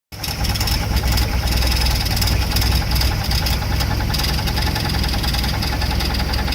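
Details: Mercruiser 140 marine engine at idle: steady high-pitched whine from the bellhousing at back of engine; persists with fan belt removed; owner suspects dragging starter or gimbal bearing, unconfirmed.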